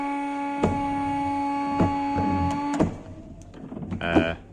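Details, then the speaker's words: Volkswagen LT28 camper van, ignition on, headlights switched on: motor hum with a thump about every second as wipers sweep unexpectedly; headlight circuit shorted to wiper circuit through bent, burnt fuse box tabs. "Yeah. I turned the lights on and the wipers came on. That's not great."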